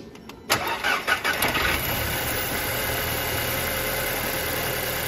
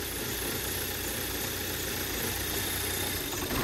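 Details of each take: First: Salvage 2008 Audi A4 2.0T Quattro 6-speed manual, after swapping the cylinder 1 and 2 coil packs: short crank, fires immediately, quick revs, then a steady even idle. The cylinder 1 misfire is gone and the computer shows zero misfires. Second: 2008 Audi A4 2.0T Quattro 6-speed manual salvage car, first jump-start on a very cold day: fires right up but idles with an uneven, stumbling beat and dropped pulses, a cylinder misfire.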